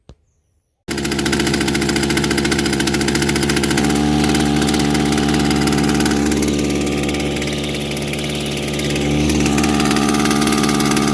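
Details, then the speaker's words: Kawasaki TJ35 two-stroke brush cutter, before repair: buzzy note sags midway then recovers, engine runs but struggles and bogs with a lot of vibration, traced to a carbon-blocked exhaust port. "You can hear that the engine runs. But it struggles. A lot of vibration."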